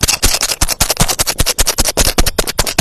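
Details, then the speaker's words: One-door refrigerator with the light on but not cooling; its removed start relay, shaken by hand, gives a fast gritty rattle like sand inside, which indicates the relay is about 90% likely broken. "kalau bunyinya ada pasir di dalam se ini itu 90% relay ini rusak Bang Nah ini rusak nih Bang ya"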